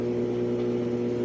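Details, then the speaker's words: Brastemp Ative 11 kg washer that won't wash or spin, with motor capacitor already replaced: steady low motor hum that never speeds up as the drum tries to turn but won't, as if locked underneath; seized drum. "ela quer girar fica fazendo isso e não gira ó ela tenta girar e não gira como se tivesse travada embaixo"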